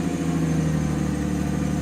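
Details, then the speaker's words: XJ "big six" freshly started, mostly used for very short trips: heavy, droning low idle rumble that doesn't sound right, diagnosed as an exhaust leak. "hear that don't sound right that's right there is an exhaust leak"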